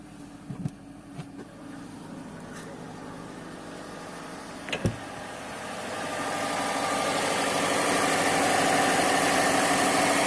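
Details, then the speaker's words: 2005 Subaru WRX wagon after replacing both valve cover gaskets and spark plugs, odometer 179.01: short thump on firing, then smooth even idle with steady whir, no ticking or stumbling; normal idle, hopefully no leaks. "Covers in. Guess it's good and tucked in down there now. Can't really see it too well. Hopefully no leaks. Idling alright."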